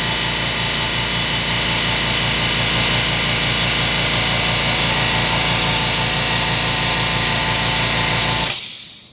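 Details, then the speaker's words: Low-noise oilless air compressor: loud steady high hiss over fast pulsing motor hum until cutoff; air leaks from cracked aluminium-alloy pressure switch box at the coupler, likely cracked by overtightening during coupler replacement; switch assembly to be replaced. "자 에어가 새는 것이 지금이 제품 같은 경우는 이렇게 보시면 요기 요기 요기 지금 금이 같죠 지금요 부분에서 에어가세요"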